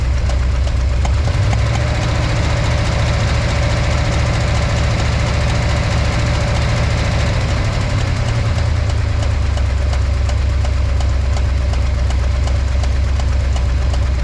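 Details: V8 engine with a backfiring problem; rough, uneven, loping idle with irregular low thumps about three or four a second, misfiring. Disconnecting the number 6 spark plug wire made no noticeable difference; all eight are to be retested.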